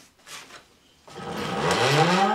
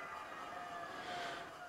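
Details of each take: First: Sparta Maxx 70 e-bike, converted in 2015, 48V front hub motor, recently replaced Silverfish battery: from standstill the motor stutters and vibrates, then whines up in pitch and runs strongly once moving; owner suspects controller or phase wiring, not the motor. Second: Sparta Maxx 70 e-bike with 48V front hub motor, after the broken yellow wire was repaired with heat-shrink: a steady, even electric whine at full throttle with no stutter; normal hub motor run, problem solved.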